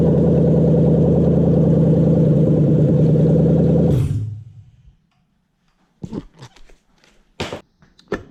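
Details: Toyota 1UZ-FE VVTi V8 on test stand run by a 2UZ ECU; even steady idle with smooth unbroken beat for four seconds then clean shutdown; runs healthy, ECU working.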